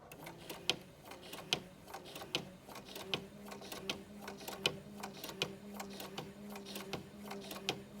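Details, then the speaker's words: Bernina Artista 180 sewing a few stitches with a dull needle: sharp popping on each stitch, about 1.3 a second, over a steady motor hum, meaning the needle needs changing. "hear that popping that is kind of an indication that that this needle that needle isn't good anymore"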